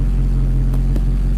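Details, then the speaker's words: Cold start of a Mercedes V8 after a home rebuild of its fuel distributor, which earlier ran on 5 of 8 cylinders. It fires right up to a steady, smooth fast idle that rises then drops. Cold start works, open loop, duty cycle about 50; normal. "idle went up and went down the CT start Works um the um duty cycle is probably H 50 right now because it is not running in closed loop it's running an open loop"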